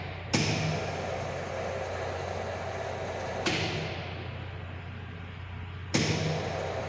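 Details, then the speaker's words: High-voltage lab sphere-to-sphere gap, 20–30 mm spacing, voltage raised via variable autotransformer: sharp cracks over low transformer hum as gap sparks over; breakdown 35.42 at 30 mm (vs 12.76 before). "35.42 is the breakdown voltage at 30 mm distance."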